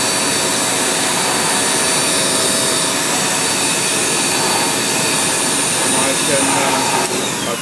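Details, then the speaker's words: Powerful blower used to dry records after ultrasonic cleaning: loud steady rushing roar at constant pitch, no surging or rattle, a bit noisy; normal running. "I'll just show you how it blows all the water off turn this on it's a bit noisy"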